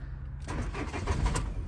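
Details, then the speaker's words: Ford Transit Custom MK7 starter motor cranking test with battery tester: quick, even cranking at healthy speed with some starter rattle, tester reads cranking normal; just a noisy starter, not drawing too much current. "so as i say it's okay to be fair but obviously we so it's just a noisy start so it's obviously not drawing too much amp"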